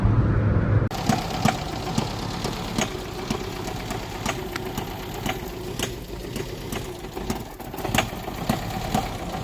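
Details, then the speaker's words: Tofaş Şahin petrol engine rebuilt 12 months and 3,500 km earlier, stranded on road, idling in neutral: irregular sharp metallic ticks two or three a second, not constant like bearing knock; owner suspects cracked exhaust manifold. Unconfirmed. "bu devamlı değil bunda böyle tık boşluk bir yere sanki dönüyor tuk tak tuk tak gibi ses geliyor"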